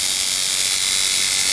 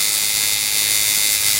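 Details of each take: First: Coil tattoo liner machine being tuned by the nickel-and-dime method: fast, thin buzz with harsh, uneven edge; contact screw gap still too wide, needs closing down toward dime thickness; contact gap out of adjustment. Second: Coil tattoo liner machine after setting contact screw gap to about a dime thickness: steady, fast, even high-pitched buzz, no stumbling or rattle, then stops; normal running, in tune.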